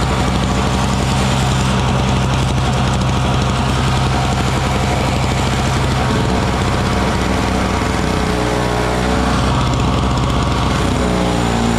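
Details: Small Frontier backyard snowblower clearing snow mixed with rocks from a shop floor: single-cylinder buzz holds steady, dips and recovers as it bites into snow; running fine under load.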